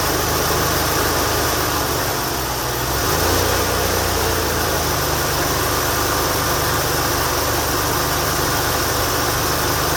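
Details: 1989 Lincoln Town Car V8 at freezing cold start idle: loose raspy puffing and hiss over low rumble; suspected exhaust leak.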